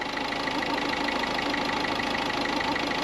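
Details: Peugeot at idle after replacing the part that kept its cooling fans running continuously: smooth, even idle with a steady engine note and no fan roar underneath; the engine is idling normally and sounds healthy.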